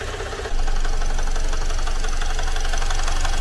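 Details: Great Wall car engine idling right after a teardown repair: a sharp, steady internal knock of about 3.5 per second, a tractor-like clatter absent before the repair. Oil was reportedly added; the engine is reopened and the cause is still unknown.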